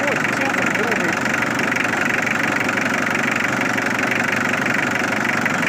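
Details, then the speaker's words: Mitsubishi Triton 4D56T diesel first start after sitting 10 years, new timing belts, old fuel: steady idle clatter with thin chirping squeaks on top, rocker cover not yet bolted down; squeak source unconfirmed. "Squeaking. Can you hear it? Well, yeah, I do."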